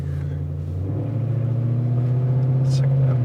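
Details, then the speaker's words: 1999 Jaguar XK 4.0 V8 after its crank-no-start issue was resolved: fires straight away, then a deep, even V8 rumble as revs build gently on a test drive, no knocks or misses; exhaust noisy; normal running. "key into the ignition yep straight away it fired up and then drive like that I'm just going to take it for a little spin just make sure that everything works"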